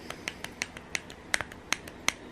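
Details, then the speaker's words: ARRMA Vorteks 4x4 3S BLX brushless motor, bearing failed after only 3 weeks: sharp dry clicks about four times a second as the shaft is turned slowly by hand; motor later replaced. "But anyway, I'm gonna try to show you as best I can how bad this motor is, or not necessarily the motor, but the bearing."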